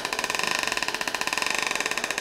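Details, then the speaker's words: Demonstration rig, suspension fully extended so U-joint bent while transmission turns at constant speed: fast regular wavering whir, pitch changing as driveshaft speed oscillates from the bent U-joint; oscillation grows with joint angle, fix is proper pinion angle. "this bent U joint is causing the drive shaft speed to oscillate isn't that crazy"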